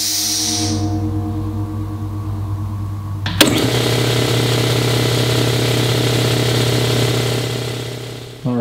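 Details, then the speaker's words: 60-gallon air compressor bought new around 2009, first run after replacing leaking top and bottom head gaskets, new air filter, unbolted: even steady chug about four strokes a second. "it seems like it runs smoother and quieter and I don't know if that's because of the air filter or because you know I cleaned everything up but it seems to uh run a lot quieter"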